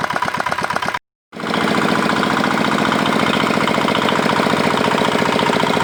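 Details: Old modified Chinese R180 single-cylinder diesel for wood splitting, repaired after repeated seizing despite earlier crankshaft replacement: brief stop, then strong steady evenly spaced thump; runs clean and healthy.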